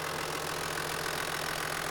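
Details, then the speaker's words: 1994 Toyota Land Cruiser 80 Series HDJ81, 4.2 L turbo diesel, just over 200,000 km, timing belt changed at 200,000 km in 2014. Steady, even diesel clatter and low hum at idle with no irregular knocks: running condition good. "Engine running condition is good."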